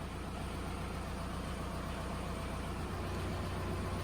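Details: Volkswagen diesel warming up after the injection pump quantity adjuster seals were replaced, with the adjuster at the default 32768 and IQ coming down to about 6: a low, even idle chug of about two and a half beats a second, no knocks or hunting, so it runs properly.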